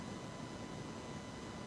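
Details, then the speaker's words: Built engine from a 1978 Porsche 911SC with raised compression and cams, sat a while, during leakdown test: steady soft rush of air heard at the crankcase; minor piston ring blow-by. "everything that's crankcase so there's a little bit of blow-by from the piston rings down the cylinder into the crankcase not much to worry about"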